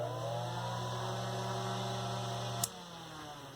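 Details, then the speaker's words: Serviced 1960s Eskimo desk fan model 081005, 50+ years old, after fitting thumbwheel switch: steady low hum with soft whir, click, clean coast-down; somewhat noisy, minimal vibration, runs well. "Blows a fair amount of air. I like it. A little on the noisy side. Minimal vibration. But it's a pretty good little fan."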